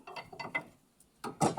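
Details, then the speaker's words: Pickup truck stabilizer link (bieleta) flexed by hand gives dry, rapid clicking and creaking bursts; truck knocks and creaks when steering, link found loose, causing the noise. "essa peça Tem feito muito barulho nessa nessa caminhonete escuta aí por que esse barulho isso aqui estrala muito gente faz um barulho"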